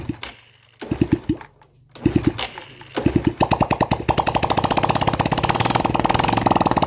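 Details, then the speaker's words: Yamaha Vega R four-stroke, after valve lapping and ring cleaning for lost compression, exhaust not yet fitted: short cranking bursts then sharp open-pipe pops settling into a quick even firing beat; engine now starts and runs. "Oke Kang Bro, jadi motor udah mau hidup."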